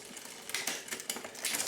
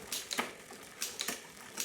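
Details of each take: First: 1999 Diamondback Sorrento mountain bike after rebuild with new chain, chainset, cables, and barrel adjuster tuning: quick light clicks as the chain moves across, then a quiet tick without grinding, a clean front shift. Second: 1999 Diamondback Sorrento bicycle on its first service in about 20-25 years: rhythmic bursts of dry, rasping ticks about twice a second with each pedal stroke during gear adjustment; the chain is dry and needs lubrication.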